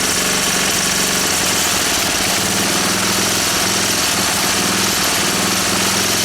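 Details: Honda E300 generator engine after work on it: an even, steady single-cylinder beat with no misses, knocks or surging; it runs normally.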